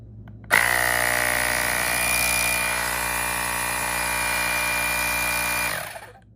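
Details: Fanttik X8 APEX battery-powered air compressor/tire inflator demonstrating one of its preset modes: steady high motor whine with fast even pump beat, starts cleanly, runs five seconds unwavering; working normally.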